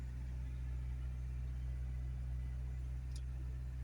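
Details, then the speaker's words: Car started after sitting 7 months with its battery on a maintainer: runs a little rough at first, then settles into a low, steady idle hum with no misses, stumbles or surging. It has smoothed out. "Running a little rough. That's better. Smoothing out."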